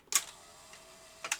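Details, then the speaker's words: Philips N1702 VCR-LP video recorder with the clock module unplugged: a crisp click, faint whirr, then two quick clicks as it unlaces correctly at power-up. It then won't relace, and the faulty clock module is blamed for permanent lacing. "unlace which is correct however it won't won't relace now"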